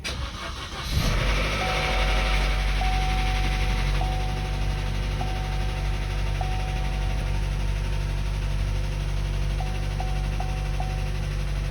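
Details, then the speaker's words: Chevy Cruze 1.4 turbo after head gasket replacement: brief timing chain rattle right after catching while the empty oil filter housing refilled before oil reached the tensioner, then steady smooth idle; lifter ticking expected to fade. "so it had to reime that whole oil filter before it could get oil to the timing chain tensioner so there was a bit of chain rattle there but it's running very smooth"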